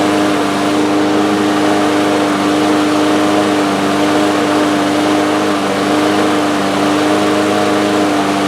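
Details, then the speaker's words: Two-year-old DeWalt mower with Briggs & Stratton engine, just fitted with a new carburetor main jet, started on the first pull; steady high-pitched drone held well above normal speed, engine running too fast, adjustment to be checked. "Well, it's running. It started up on the first pull. Seems to be running a little fast. I think there's an adjustment for that."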